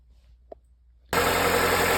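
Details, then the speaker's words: 2006 Honda Accord after replacing the power steering pump intake and outlet O-rings (10 mm bolts, about 11 Nm): quiet start then steady even idle with no whine or grinding; noise gone. "After changing them, the the noise is gone."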